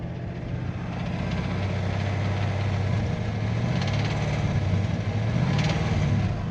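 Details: 2009 Chevrolet Corvette base LS3, manual: steady low idle with a light, somewhat irregular tapping about three or four times a second; engine tick of undetermined origin.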